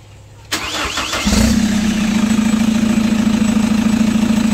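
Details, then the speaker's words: Chevrolet Captiva NFL AWD diesel (latest generation), after repair for a dash warning light and loss of power with turbo, CMP, MAP and P089 fuel-pressure codes, blamed on dirty turbo and fuel paths and a badly fitted turbo hose; turbo parts and injectors cleaned: brief crank, quick catch, steady even idle clatter, no knocks; healthy. "Sekarang kita nyalakan dulu mesinnya, kita biarkan dulu nyala sekitar 10 atau 15 menit."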